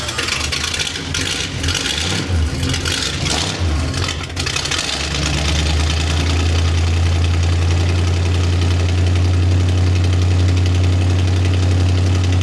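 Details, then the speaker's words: 1976 Chevrolet C30 V8 with exhaust cut: starter cranking, then catches into steady deep even rumble, no miss or knock; normal idle with open exhaust. "But it's already cut, so it means I can just start it up and enjoy glorious V8 noises."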